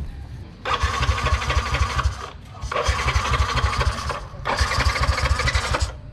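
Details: Yamaha NMAX that suddenly won't start: three cranking bursts of about a second and a half each, starter spins but the engine never catches; fuel pump runs and air filter is clean, fault traced to no spark from a bad plug.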